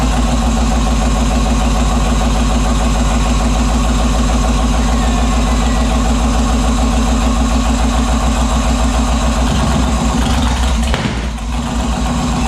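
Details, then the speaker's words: Turbo 5.3 LS-swapped Mustang at startup: loud, lumpy idle with an uneven pulse that sags and nearly dies near the end; suspected dumping too much fuel, cause unconfirmed. "yeah it was dumping too much fuel probably it could be the tune is like very you know yeah not done at all but it does run"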